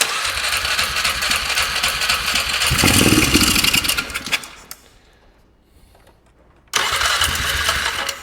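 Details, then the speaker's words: Polaris Sportsman ATV, carb work underway, airbox off: quick steady cranking catches and roars briefly on starting fluid, dies, cranks again evenly; compression and starter sound healthy. "She sounds healthy though. So that's a plus."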